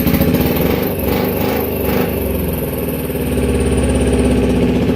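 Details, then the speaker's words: 2010 Kawasaki Ninja 250R twin, flood-damaged, carbs cleaned and oil changed: ragged, loping, missing idle as right cylinder fires but left gets no spark; coils get 12 volts, owner suspects the non-working tachometer circuit stops the left pulse. "So I've got it firing perfect on the right side, but on the left side not so much."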